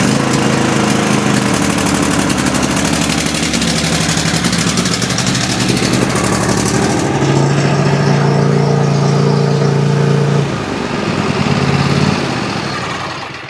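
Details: Troy-Bilt riding mower with Kohler 7000 single-cylinder engine, previously wouldn't start or stay running, now holds a steady even run, pitch shifting slightly with throttle, no misses or surging.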